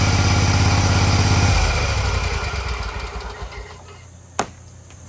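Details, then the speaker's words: Scag Tiger Cub 48" commercial zero-turn mower engine after the start/stall repair, with oil seen in the air intake and possibly replaced: crisp, even running, then a clean shutdown as it winds down. Normal running. "you could just tell that this engine is running so crisp and clean it's a really nice engine"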